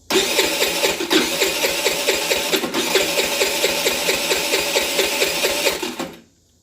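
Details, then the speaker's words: Chinese 50cc scooter with a newly replaced carb: steady fast starter whir with even cranking pulses that never catch; no spark even after testing two coils, so the CDI is next to test. "that spark H has no spark so we had a no spark scenario so I pulled out two coils to test them still no spark which obviously the next logical thing to do would be to test the CDI"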